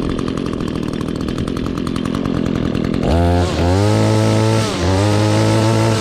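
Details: 2016 Echo GT-225 curved-shaft trimmer, 21.2cc two-stroke, started with choke and primer pump: even buzz, then two crisp throttle blips that settle back cleanly; healthy running.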